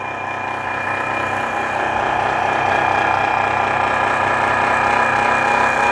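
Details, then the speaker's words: Mixer grinder motor running: harsh, rattling high-pitched whir with steady buzz; rotor has excessive play from worn bearings causing the noise, no sparking seen; fitting problem also suspected. "यहां पर देखिए जो rotor है इसमें बहुत ही ज्यादा play है यहां पर आप क्लियर तरीके से देख पा रहे होंगे इसमें बहुत ही ज्यादा प्ले है जिसकी वजह से यह आवाजें आ रही हैं"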